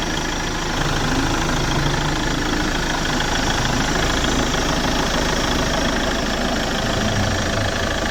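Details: 2010 Chevrolet Captiva diesel idling after a full turbo-intake and fuel-line cleaning; carbon sludge had made pull-off sluggish, and fluids, filters and coolant hoses were renewed. Steady, even diesel clatter with a smooth low rumble: running normally.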